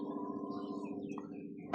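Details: Power window motor: even whir at steady pitch with light regular ripple, ending in a soft stop thump; window travels smoothly, normal operation, unlike the sticking driver-side window that must be pushed up to move.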